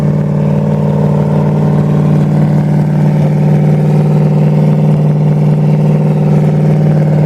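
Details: 1928 Dodge with a 440 V8, broken in, with a new Edelbrock part, electric fuel pump and fan shroud after fuel-pump and overheating fixes. A deep, even V8 burble with a steady low drone, no knocks or misses; running smooth.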